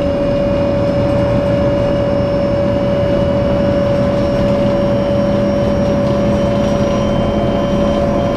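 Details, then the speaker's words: Dan bus 92-001-01 driving on Sderot HaHagana in Haifa: a loud, steady high whistle holds over the diesel engine drone, heard as an abnormal engine noise; source of the whistle not identified. "צלילי מנוע בליווי שריקה רעש מנוע חריג לא טבעי"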